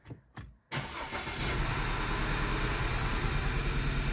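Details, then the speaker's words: 2009 Audi A4 six-speed manual, a free car with oil consumption: cranks and catches, then idles slightly unevenly. Cylinder 2 still misfires after a coil swap, so the coil is ruled out and fouled spark plugs are suspected. "Okay so we've confirmed that it's not a coil doesn't look like it's a coil so it could be a fouled spark plugs from the oil consumption that this thing has"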